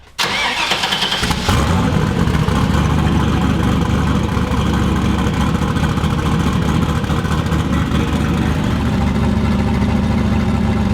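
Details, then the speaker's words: Volvo sleeper with turbo LS V8 and stealthy exhaust through mufflers, just modified: cranks and fires within a second, then a deep, even V8 burble with a slight blip. Normal, clean idle. "I forgot how much of a difference I made and now engine sounds amazing"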